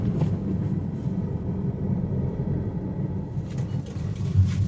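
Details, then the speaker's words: Honda Amaze on the road after suspension and steering work with new parts; steady low road rumble with no clunks, knocks or creaks over breakers and holes; suspension quiet. "देखो, कोई भी किसी भी प्रकार का कोई आवाज नहीं है। सस्पेंशन एकदम सही है।"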